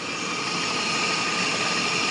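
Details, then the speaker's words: 2006 first-generation Scion xB after the squeaky-belt fix, idling with defrost, A/C on high and lights on to load the alternator and belt: steady, even idle with no chirp or squeal; belt now quiet. "and right now I can assure you it's 100% quieter than it was before at least squeaking wise I'm not heing any squeaks right now"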